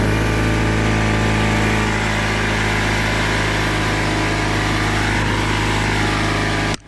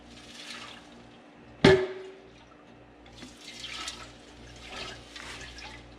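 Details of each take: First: Craftsman oilless air compressor after a new drain valve was fitted: a steady, even motor drone holds one pitch, then switches off cleanly, with the tank up to 40 psi; normal running. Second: Craftsman oilless air compressor stored a year and a half in an unheated unit with a faulty drain valve: a thump, then slow irregular sloshing as the tank is tipped; condensation water is trapped inside the tank.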